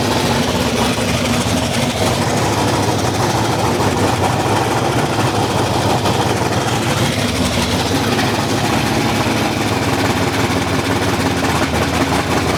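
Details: Big block Chevy V8 in a Holden HQ Summernats build after fitting valve covers with neoprene gaskets; loud, even, deep unmuffled rumble with steady firing beat, no knocking or rattles, great oil pressure. Normal running.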